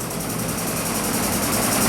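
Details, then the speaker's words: Dirt bike at idle, choke off: fast busy clattering like chattery valves over an abnormally high idle RPM, with heavy smoke; cause unknown. "I don't even have the choke on the chok's not even on right now and and it's like sounding like uh the valves are really chattery and it it's really high like the RPMs are really high"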